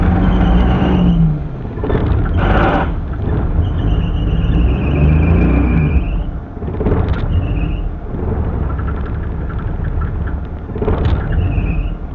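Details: Suzuki Mehran hard start: rough engine blipped hard again and again, revs surging and dropping every few seconds as it struggles to keep running and stalls repeatedly. Engine stalling, needs revving to keep running.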